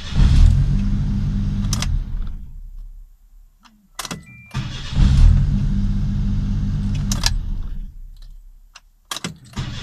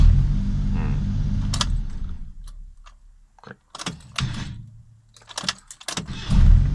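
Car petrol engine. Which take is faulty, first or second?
second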